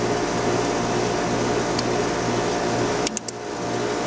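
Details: Trane outdoor unit with 2940 defrost control, fan test pins shorted: even condenser fan whoosh and hum, relay clicks, fan shifts smoothly between low and high speed with slight rattle; normal condenser fan low speed operation.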